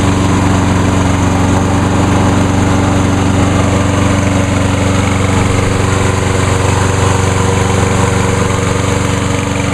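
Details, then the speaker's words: Walk-behind lawn mower engine with the brake handle clamped. It holds a steady, even buzz at constant speed with no surging or misfires, running much better than before: normal running. "and as you can hear it runs a whole lot better runs just almost as good as the uh 10606"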